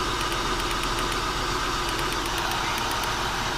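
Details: 2000 Acura TL V6 at idle with codes P0306 and P0300, flashing check engine light and TCS light, missing badly. The idle is uneven and lumpy with an irregular stumble and faint arcing ticks. Owner suspects a bad coil. Misfire at idle.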